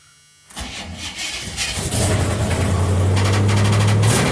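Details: Cold start: the engine cranks, catches and settles into a fast idle with a light, rapid tick over it, sounding like valvetrain tapping; the owner calls it a little lifter tick, cause unconfirmed.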